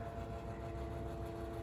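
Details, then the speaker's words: 1985-86 Lasko Super 3713 20-inch box fan, before restoration, with a 3-speed shaded-pole motor: runs slowly on low with a steady high-pitched whine over a low hum, plus rattling; whine is less on high; cause not yet known. "really slow on low very whiny"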